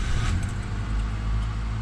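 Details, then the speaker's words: Honda Odyssey idling after repairing an exhaust leak between J-pipe and catalytic converter caused by compressed springs, fixed with new spring bolts, fresh oil change; steady low even rumble, no puffing or ticking, leak gone. "no more exhaust leak"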